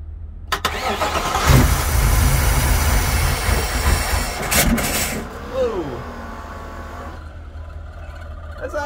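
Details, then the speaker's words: Supercharged Ford SVT Lightning V8 with suspected bad head gaskets and a flashing check-engine light for a catalyst-damaging misfire, jump-started on a weak battery, fires and runs roughly for a few seconds with uneven lumpy firing, then dies; owner says engine's blown. "yeah it fires up that's for sure oh man that didn't sound good for the uh short amount of time it ran but no uh i mean the engine's blown"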